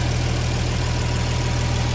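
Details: Diesel engine right after a valve lash adjustment, running with the valve cover open as oil fills the rockers: deep, steady idle with light, even valvetrain clatter and no irregular knocks; sounds healthy.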